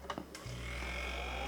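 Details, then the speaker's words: PC all-in-one (AIO) liquid CPU cooler pump, suspected bad, running noisily in a $160 used PC: clicks, then a steady low hum with a sharp constant high whine. Owner suspects low coolant and notes apparent leaking around the edge. "Yep. You can literally hear the pump. So, that needs some more water."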